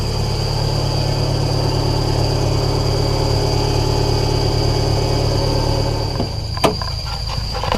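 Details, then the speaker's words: 2009 Subaru Impreza idling after a good fuel pressure test: a thin, constant high whine over a deep hum. The clutch is suspected, possibly from riding it up the ramps, and is expected to readjust; not confirmed. "It's got a nice growl to it."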